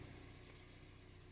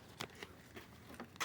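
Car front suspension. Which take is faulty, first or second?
second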